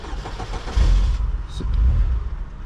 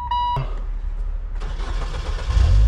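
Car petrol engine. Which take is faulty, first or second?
first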